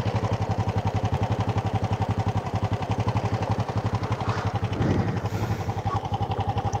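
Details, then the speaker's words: Supra motorcycle (Banten) still running rough after cam chain and bushing replacements: harsh, even clatter from deep in the bottom end at idle, heard on both right and left sides, from the middle of the engine; slightly less with a gear engaged and the brake held; connecting rod big-end knock. "Sisi kanan terdengar, sisi kiri terdengar. Bukan hanya satu tempat."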